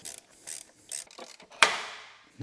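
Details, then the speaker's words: 2002 Alpina B10 V8S (BMW E39 Touring), 306,000 km: AC belt removed and the pulley spun by hand gives rough grating bursts and a ratchety rasp instead of a smooth spin; worn pulley bearing, pulley shot. "you can get the belt off that's the AC belt the pulley shot"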